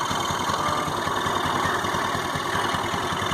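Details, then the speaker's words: Honda Activa 4G scooter at idle: a fast, steady idle with a harsh, rattly edge, heard near the silencer and thought to come from inside the engine; abnormal internal noise unlike normal, cause not yet identified. "कुछ अंदर से ही शान आ रहा है, एकदम ऐसे कर मतलब जो नॉर्मल आवाज़ आती है उससे एकदम अलग आ रही है।"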